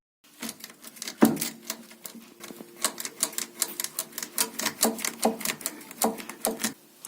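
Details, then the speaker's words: 1990s Audi A6 front lower control arm levered by hand under the car, engine off: irregular dry creaks and pops from torn rubber bushing with separated inner sleeves; likely causes creaking when turning the steering wheel. "So when you turn the steering wheel, the bushing shifts around, and I think that's what causes the cracking or creaking noise."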